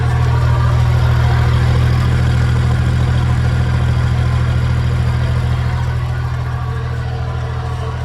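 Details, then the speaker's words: 1950 Chevrolet 4400 dump truck, clutch in, neutral, PTO engaged with a little gas turning the hydraulic dump pump: deep idle with regular clatter about three beats a second; sounds rough but better than before, when the stuck pump dragged the engine down. "Boy, it sounds rough though. But it's doing it. Doing a lot better than it was."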